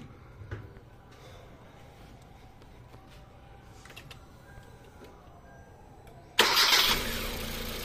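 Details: Car that stalled suddenly after driving past water, restarted after the engine was topped up: a quick crank, then the engine catches cleanly at once and settles into a steady, even idle; a normal start.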